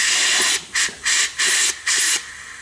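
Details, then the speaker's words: 6T40E transmission from a 2011 Chevy Cruze with a 3rd-to-4th slip, air test of the clutch piston held down: five or six sharp hissing puffs in under three seconds, normal bleed through the piston hole that lets it return to rest. "What happens, the pressure will overcome that hole to apply that piston. And then the hole is there so the piston can go back to its rest state."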